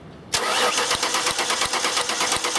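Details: 2000 Ford Taurus with electronic returnless fuel system: starter cranks steadily, even compression beats about three per second, never fires; crank no start, spark confirmed good, cause not confirmed.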